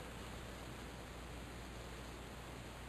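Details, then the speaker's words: Faint, steady, rhythmless hiss heard through five or six inches of concrete slab, with all power tools unplugged: pressurised water escaping from a leaking buried 2-inch type K copper water pipe. "It's amazing that through five or six inches of concrete. I hear it so clearly."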